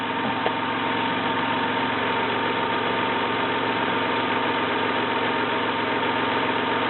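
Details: 1993 Toyota Camry, 206k miles, automatic, at a raised idle as revs are brought up: even, steady hum with no knock, miss or rattle; runs smooth.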